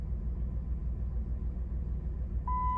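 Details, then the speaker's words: Dodge Nitro restarted after a throttle body relearn procedure, expected to idle higher than before: steady low idle rumble with no knocks or misses, a chime near the end; idles smoothly. "let's crank her back up see if she idles back up a little bit better all right so go ahead and crank it back up and it should idle a little higher than where it was"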